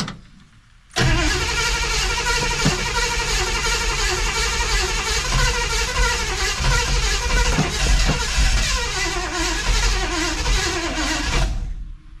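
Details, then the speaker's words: 1963 Chevrolet Impala after an ignition tune-up with a new bigger coil and a charger on the battery; long labouring crank about three turns a second that never catches; battery gets weak fast, owner suspects a battery or alternator problem. "Eh, don't sound much better. Yeah, and that battery gets weak fast."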